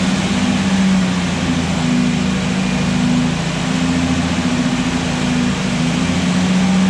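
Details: Restored Jurassic Jeep #73 engine running after reassembly and first start; steady low drone rising and falling slightly as revs change, no knocks: normal.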